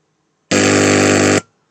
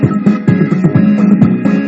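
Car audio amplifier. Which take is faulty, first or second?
first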